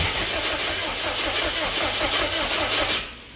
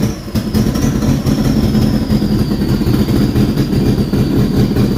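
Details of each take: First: Subaru Brat with WRX engine swap, previously no spark: catches in ragged bursts on starting fluid sprayed into the throttle body, sputters unevenly about three seconds and dies; actual cause unknown. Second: Subaru Brat with WRX engine swap, revived after a seized AC compressor threw its pulley, cam sensors cleaned: low, steady idle rumble with a faint even pulse and no knocks or misses; normal idle.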